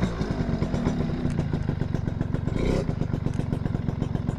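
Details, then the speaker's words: Suzuki RC100 two-stroke motorcycle after cleaning, mic held close to engine and exhaust: crisp, even idle with steady popping exhaust pulses, no clatter or hesitation; engine runs smoothly and well. "suaranya masih renyah ini mesin halus saya dekatkan saya dekatkan micnya ini ya"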